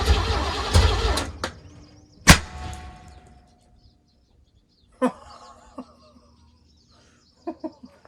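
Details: 1980 Pontiac Grand Le Mans G-body small block V8, cranked while checking for spark: short cranking bursts with a few clunks, then silence. It spins but never fires, likely fuel-starved.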